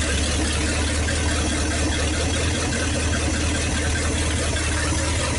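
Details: 1956 Studebaker Golden Hawk at start-up after fuel lines were hooked up and it was weaned off the bottle, with water and antifreeze added and no leaks seen: a smooth, steady low rumble with even beat and no ticks or knocks, a normal idle.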